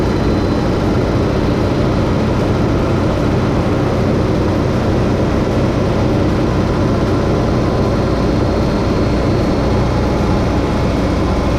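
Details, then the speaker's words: Roughly 30-year-old carbureted engine after refitting a loose Weber carburetor: steady, even low rumble with no misses, knocks or hunting before a test drive; normal idle. "so far so good sounds like she's purring like a kitten as good as i expect this 30 old engine to do"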